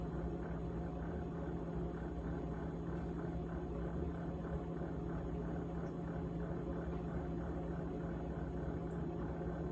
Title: GE Model GTH18XCTZRBB Refrigerator Rattling Sound on 3-27-2021